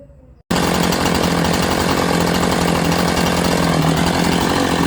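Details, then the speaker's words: Chainsaw idling after chain adjustment with about 60 thou gap between bar and link: it settles into a steady, even idle with a constant low buzz, no stumbling or surging; normal healthy idle. "okay we got a good idle just listen to that your chainsaw probably isn't either that well that's a good Idol"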